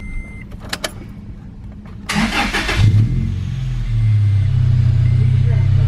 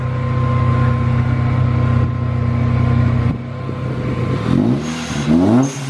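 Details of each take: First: Manual Toyota Tacoma with a Rotrex supercharger kit, just given fresh supercharger fluid and a new filter. It cranks and catches into a deep, loud drone, and blips bring the bypass valve whoosh. The exhaust is too loud and raspy, before a resonator is added. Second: Manual supercharged Toyota Tacoma after the exhaust was changed. A deep, smooth exhaust rumble with clean rev blips sounds meatier, and the rasp heard at first start is gone.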